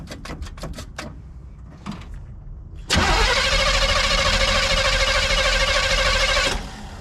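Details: 1971 Chevelle wagon, cold start at 47°F after sitting 3–4 weeks, with gas pumped on the carburetor first. A few slow cranking turns, then it catches at once and settles into a steady, even fast idle; a healthy cold start.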